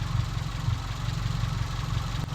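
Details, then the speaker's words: Car after an idle fault was fixed without changing the idle control valve: steady, even low idle that picks up and drops back smoothly with no stumble or hunting; sounds healthy. "and now when you start it up lovely Idols exactly how it should picks itself up drops itself down"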